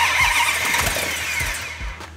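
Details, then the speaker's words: Plymouth Hemi 'Cuda, rebuilt after a garage fire, first start after fuel in carburetors and oil pressure confirmed; engine catches cleanly after a few cranks, revs briefly and settles smoothly with no knocks or misses; normal start-up. "that sounded good hang on here that sounded good okay yeah okay hang on"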